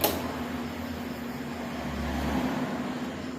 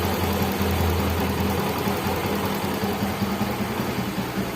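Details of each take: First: Yamaha Mio J fuel-injected scooter that is completely dead, key on: only a faint, steady low hum from the fuel pump while the pressure gauge stays at zero; failed fuel pump. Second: Yamaha Mio J fuel-injected scooter after the dead fuel pump that stopped it starting was dealt with: small engine idling smoothly with a steady low hum, no knocks or misses; normal idle.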